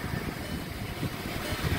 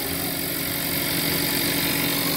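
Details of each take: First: 2017 VW Jetta 1.4 TSI with push-button start, idling after a tune-up with new spark plugs and air filter. It had begun running rough before; now a quiet, even idle with a steady murmur and no stumble or miss. Normal idle. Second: 1.4 TSI Jetta (2017 or 2019) at idle: fast, loosely regular metallic rattle, about four per second, over bright hiss, present since purchase; owner suspects turbo, sounds like something spinning and knocking; source unconfirmed.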